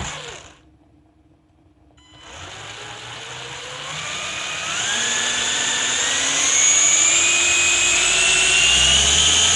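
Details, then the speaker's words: 11-year-old Anderson M5 RC motocross bike, first run in 10 years during restoration: smooth high electric whine climbing as the stabilizing gyro spins up; motor and gyro running normally. "So you can hear the gyro running there now. That's what makes the bike stable."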